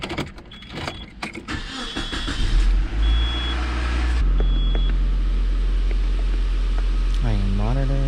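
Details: Nissan Altima GXE 2.4L inline-4 (1998–2001) after replacing the upstream oxygen sensor for code P0133 and a check engine light. A few chimes and clicks, then the engine catches cleanly and settles into a steady, even idle with no misses. Starts and idles normally.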